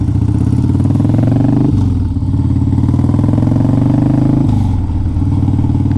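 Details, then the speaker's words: 2002 Harley-Davidson Dyna Wide Glide on a cold day, needing choke only briefly after a cold start: deep, even V-twin potato-potato idle with steady firing and no knocks or rattles. Idling well and nicely tuned. "This bike sounds good. It idles good. You don't have to have it on choke for very long when you do a cold start."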